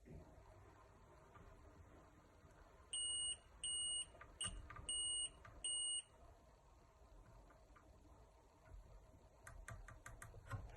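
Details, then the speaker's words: PS3 that won't power on (no red light, only beeps): multimeter gives five sharp continuity beeps across a shorted capacitor, confirming a short; capacitor then removed with hot air. "so let's check our shorted one to see if it passes from one side to the other so yeah here it does a passage so there is definitely an issue on this"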